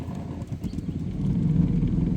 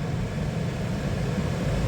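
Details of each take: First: 2012 Toyota Sienna blower motor kicking on partway: rising whir and warbling squeal over a rough hum; owner thinks the blower motor has seen better days and replaces it. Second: 2012 Toyota Sienna after blower motor replacement, fan on high: smooth, even rush of air with no whine, rattle or scraping; new blower healthy and quiet.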